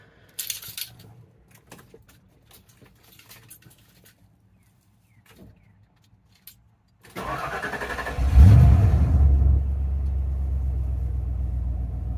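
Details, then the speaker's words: 1992 Ford Bronco 5.0 302 V8 after harmonic balancer and water pump replacement (old balancer had caused rough shaking at idle): starter cranks briefly, engine catches into a smooth, steady idle with no shake or hesitation; normal. "and smooth smooth as a baby's rear end look at that no shaking no hesitation smooth idle everything's nice and lined up"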